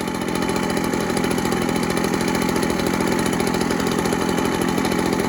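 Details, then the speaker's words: Echo PB413H two-stroke backpack blower fitted with a cheap aftermarket Chinese carburetor after a no-start, with an NGK plug; steady, even buzz at one constant pitch with no surging; a normal idle, tach wire on the plug reading about the specified 2,600 rpm. "Supposed to be about 2,600."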